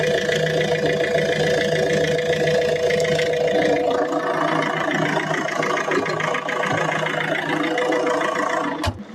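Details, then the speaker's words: Citroën C4 Picasso 2.0 HDi 136 diesel restarted after fixing a loose negative battery terminal (battery read 12.72 V at rest); even, steady idle clatter with no misses or knocks, healthy engine. "C'est avec le doubruit du diesel derrière moi qu'on va conclure cette vidéo."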